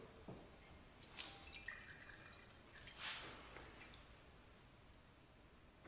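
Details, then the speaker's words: Coleman Powermate generator with 10 hp Briggs engine, auction unit of unknown history, engine off, fresh fuel added: slow irregular drips as fuel leaks at the carburetor needle/fuel shutoff; owner suspects packing just needs tightening. "Oh, this is pissing fuel out right here at the needle. We're at the fuel shut off, so that's not good."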